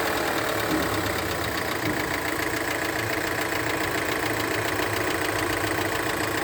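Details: Fiat Pulse 1.0 turbo three-cylinder T200 engine at steady idle: fast fairly even ticking about three or four a second over the engine, source unclear; engine noise.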